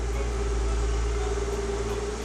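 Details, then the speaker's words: Porsche Boxster 986 flat-six idling on its first start after new spark plugs, ignition coils, oil, filters and coolant, with no warning lights. A steady, deep, even idle with no stumbles; running healthily. "Everything sounds like it's running okay. It sounds like it's running really healthily."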